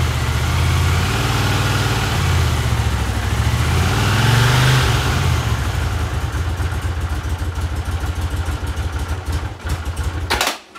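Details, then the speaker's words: 1982 Honda CX500 twin, neglected for years, carbs cleaned and bench-synced with a welding rod: lumpy, uneven thumping idle, revs sag and wander, engine dies after about ten seconds; carb idle problem suspected, cause unknown. "I'm still struggling with the idle it drops down uh just dies out it runs and then at some point it just dies out there was something wrong with idle I don't know what it is"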